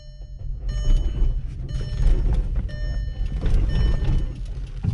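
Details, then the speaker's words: Manual-transmission Volkswagen roll-started with a weak battery in third gear: engine catches with slow, heavy, lumpy chugging, then labors and sinks back down; third is too tall, so revs are too low to keep running, and second gear is recommended. "third gear is too tall because once the motor started turning i mean once the engine kicks off because you're in third gear the engine is turning too slow to stay running so it basically it kicks itself off but it chokes itself back down"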